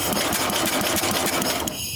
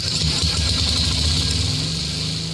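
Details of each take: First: 1966 Simplicity Sovereign lawn tractor, Briggs points-ignition engine turned over on the electric starter: fast even mechanical ticking with no firing; contact points move but don't fully close, so there's no spark. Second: 1966 Simplicity Sovereign tractor, Briggs points engine being bottle-fed fuel, with a working coil but an extended old plug wire suspected of arcing: revs high with a fast, even buzz and no misfires; normal running.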